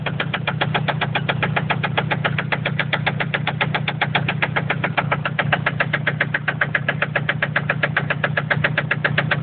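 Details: Toyota MR2 with naturally aspirated 2.0 3S-GE engine at idle: sharp, even ticking knock at roughly four per second from inside the engine, cause unknown.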